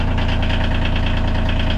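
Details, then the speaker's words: Bobcat CT2025 tractor diesel after six months of freezing outdoor storage under a tarp, with anti-gel and battery tender: deep, steady idle rumble, even beat with no knocks, misses or rattles; healthy. "perfect ready to go to work for another another season"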